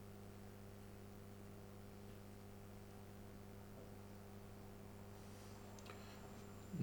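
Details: Philips 138 Mistral Four valve radio, wax caps and 3 resistors replaced, original electrolytics kept, first power-up at 180 volts: steady low mains hum with no station or speech.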